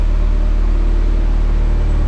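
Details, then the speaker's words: Barn-find Mazda Miata petrol four-cylinder, running on its own fuel: steady, even low idle pulse with no knocks or misses; it pumped 30 pounds while cranking, judged healthy. "oh I can tell you when when you were cranking it with the starter it was pumping 30 pounds yeah"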